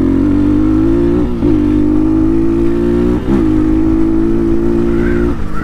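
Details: Amazon Chinese Honda-knockoff dirt bike under acceleration: strong steady engine note pulling through gear changes with brief dips, smooth and even; runs healthy, though throttle stuck briefly earlier off-gas.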